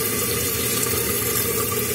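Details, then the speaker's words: Running toilet, tank open: constant smooth rush of water refilling the tank with no leak-through hiss; flapper now sealing, chain a bit tight, normal refill. "Flap open, water going in. Bowl filling up."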